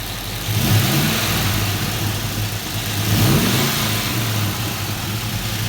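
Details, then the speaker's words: 1966 Chevelle with an LS swap, fly-by-wire, idling at 650 rpm: two quick throttle blips rise cleanly and drop straight back to a smooth idle; healthy, responsive free rev. "Very responsive. Sounds good."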